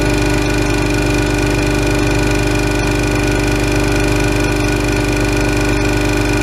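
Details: Ingersoll Rand 5 hp single-stage twin-cylinder 60-gallon air compressor for a CNC plasma air system, switched on filling from about 50 psi tank pressure: loud steady pumping chug, about three beats a second, even hum, no knock or rattle; runs healthy.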